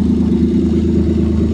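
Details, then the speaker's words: 1989 Dodge Caravan started after sitting about five years, no radiator, possibly low on oil, something smoking: loud rattly unmuffled idle with rough low pulse; owner suspects exhaust rusted out from sitting. "oh she lives too sounds like the exhaust rusted out since it's been sitting"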